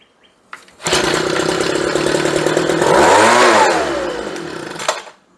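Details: Homelite blower, a small Chinese two-stroke, after its ethanol-rusted carburetor was replaced with a cheap Chinese carb and new fuel lines were fitted. It catches and runs clean and buzzy, revs rising and falling smoothly with no stumbling or surging: normal running.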